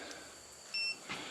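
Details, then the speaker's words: Non-contact voltage tester held to a temporary power outlet cable before demolishing old porch wiring: one sharp high-pitched beep of about a fifth of a second over quiet room noise, signalling a live cable. "I don't know if you hear the beeping but this will actually tell if the cable's got power on it"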